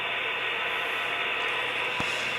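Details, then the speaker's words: HO scale Athearn Genesis SD75I model locomotive; hissy mechanical grinding runs steadily through motor noise with one sharp click; blown driveshaft, possible further damage in front gearbox. "And the issue is here. I have nothing to say. This is going to cost thousands of dollars."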